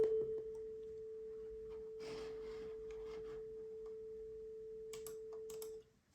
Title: Topping D10 Balanced DAC — Cracking/clicking sounds when using system (hardware) volume control